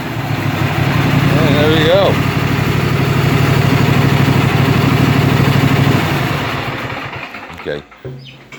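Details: 2005 Cub Cadet 50-inch mower after throttle/choke cable replacement: short crank, then catches on full choke and settles into a steady, even putter; starts and runs normally.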